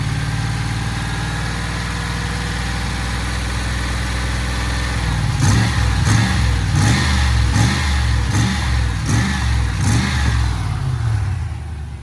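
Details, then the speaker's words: Range Rover P38 engine after bearing-noise repair (water pump; alternator and aircon compressor also suspected), smooth idle then several clean throttle blips to bleed air from the coolant system; no whine, squeal or bearing growl; normal running. "what i've got to do is bleed the system by varying the revs like you saw just there you heard just there"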